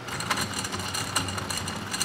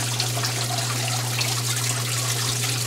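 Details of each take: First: Submersible water pump from a Port-A-Cool Cyclone 2200 evaporative swamp cooler, plugged in out of the unit: rough gritty rattle with uneven ticking over the motor hum, sounds like bad bearings; pump later replaced. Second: Port-A-Cool Cyclone 2200 evaporative swamp cooler, refilled and reassembled: steady trickle and splash of water over the pads with a low even motor hum; water flowing normally.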